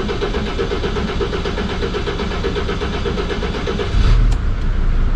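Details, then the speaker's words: 2006 Mercedes Sprinter T1N diesel, first start after a new cylinder head was installed: a steady, even diesel clatter at idle, then a short throttle blip; it starts and runs normally. "there she goes it sounds pretty nice already"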